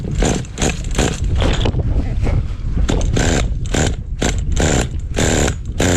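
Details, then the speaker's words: Vintage 2000 HPI Nitro Rush stadium truck, old 15FE nitro engine, first run: fires in ragged, uneven bursts, catching and dropping out; pull starter pulls easily, low compression, worse when warm. "yeah this engine really doesn't have that good compression I could easily easily pull the pull starter on this"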